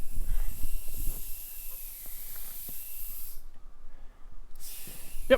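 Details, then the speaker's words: Maple sap tubing vacuum system, pump running, wind picking up: thin steady high-pitched hiss of air sucked in, briefly stopping and returning, from an open untapped spout at the end of the main line; vacuum leak. "because i can't can't find all these leaks based on the loops but i can hear them"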